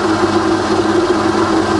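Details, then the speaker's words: Rebuilt Bridgeport belt-drive milling machine after full service, quill power feed running and reversed: steady, even mechanical hum with a constant whirring note and no knocks or grinding; the quill feed knocks out and traverses fine. "so that knocks out just fine so we reverse the feed when you see a traverse is just fine as well"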